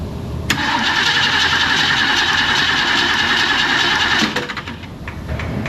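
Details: 1970 Mustang: steady, even cranking at about four beats a second with no firing. The carburetor was reportedly just serviced elsewhere and spark was confirmed with a tester. It cranks but won't start, and ether is to be tried next.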